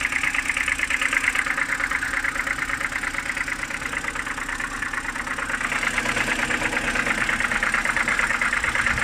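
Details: BMW N52B25 on a cold morning start: a quick, even ticking knock about twice a second at idle, apparently from the oil filter housing side; owner is unsure of the cause.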